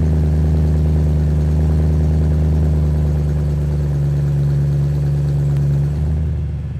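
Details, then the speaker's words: BMW E90 M3, stock S65 V8, end of cold start: deep even burble easing down after about one minute to around 600 rpm and holding steady; normal idle after cold start program. "Okay, after about one minute, the RPM will drop to around 600 rpm and stabilize. Okay, so that is the cold start of stock E9x M3 on the S65 engines."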